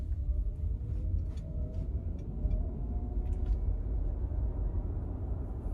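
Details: 2023 Genesis GV60, around 46°F in Alabama: after felt tape was wrapped around the hatch's four alignment points, steady cabin road rumble with no rattles or knocks from the back; the cold-weather rear hatch noise is fixed.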